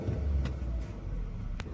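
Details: VW Polo petrol after spark plug and coil refit for P0301 cylinder 1 misfire and stalling after 10 km: quiet, low, steady idle with no stumble or missed beats; engine silent, no problem.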